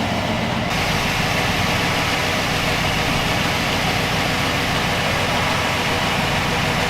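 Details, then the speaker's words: 1962 Chevy pickup V8 after fuel line hookup: steady even idle, smooth low rumble, no skips or lope, firing on all cylinders where it was missing before; normal idle. "No dead spot. We'll pull a plug out. Sound cameo down there. No, it doesn't. It's firing on all cylinders."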